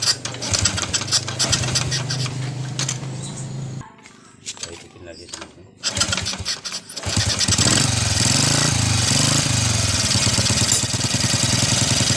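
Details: First-generation Honda Revo carburetor single that started but died on throttle. After cleaning dirt from the clogged carburetor jets, it picks up cleanly and revs freely after a short pause, pulling strongly with no stumbling.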